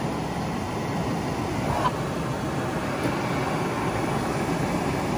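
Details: 1972 Mustang R-code: a brand-new heater blower motor and reconditioned switch are laid in the dash and powered up for the first time after earlier problems. A steady, even airy whir with no squeal, scrape or ticking; the blower spins smoothly and healthy.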